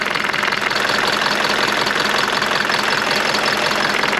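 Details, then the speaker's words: Mercedes W201 190D diesel at idle in cold weather: light regular rattle about 160 times a minute on top of the idle, pointing to something loose in the engine bay; owner wonders about tightening a nut. "Guys, I found it. I found this one. Can you hear the difference? Oh, this one is cracking away."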